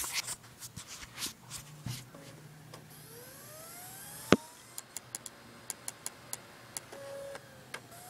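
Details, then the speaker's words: MacBook Pro optical drive copying a CD into iTunes: quiet whir rising in pitch as the disc spins up, with scattered ticks and clicks from seeking; a rough, noisy, failing drive. "working believe it or not this doesn't sound good"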